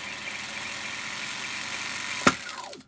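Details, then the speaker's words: Brenell Mark 5 Series 2 reel-to-reel tape recorder from the 1960s rewinding tape: fast, even whir, then a click and quickly falling pitch as reels stop dead; brakes sharp and efficient, normal rewind and braking. "just stopping look at them break our sharp and efficient"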